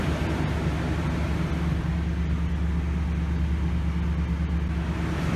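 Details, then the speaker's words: 2018 Toyota Tundra 5.7 V8 idling after the fuel pump was replaced, having needed an extended crank to build fuel pressure: a smooth, steady low rumble with no misses or knocks; normal idle. "but once it got started this thing's running great"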